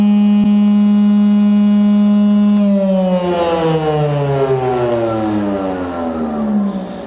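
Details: Jointer with freshly sharpened knives, first cuts in about 20 years, gravity-feed chip removal with no suction; steady motor hum whose pitch sags as the board feeds and loads the cutterhead: a healthy, even cut.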